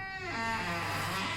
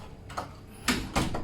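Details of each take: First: House door swinging: high, wavering squeal, likely dry, ungreased hinge; suspected squeaky hinge, fixed at no cost. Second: House door after oiling the hinges: it swings and closes with soft thumps and no squeak, opening and shutting smoothly. The earlier noise was likely from plastic hinge rings whose grease had run out.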